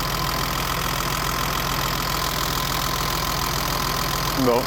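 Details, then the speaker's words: BMW 325i E30, M20 engine, cold idle after valve clearances were adjusted to factory spec: fast even tappet ticking over steady idle, noisier than before; idle higher than previously. "l'impression que ça fait pas mal de bruit quand même"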